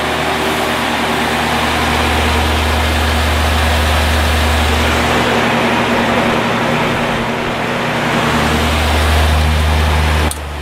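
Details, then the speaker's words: 1950s Patton 18-inch High Velocity fan, 3.2 A GE shaded-pole single-bearing motor, after reassembly: steady motor hum under a buzzing rattle on both high and low speeds, consistent with end play in the fan shaft. "high gorilla is VI or rattling a little bit but and there's low I have to do something about that noise it's really annoying"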